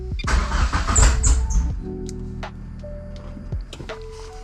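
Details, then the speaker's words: 2G GSX on FuelTech ECU after fixing CAS connector crank signal, idle control switched to automatic: catches, revs unevenly a second or two, then sags and dies; owner suspects flooding or post-start enrichment; starts then stalls. "I don't think it wants help. Maybe it is flooding."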